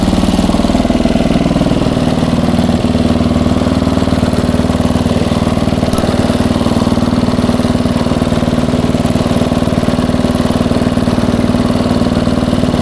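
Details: 1994 Troy-Bilt 34044 33-inch wide-cut walk-behind mulching mower, Briggs & Stratton engine, curbside find; steady single-cylinder run with fast regular clatter about four per second as mistimed twin blades hit each other, likely after a previous owner changed blades.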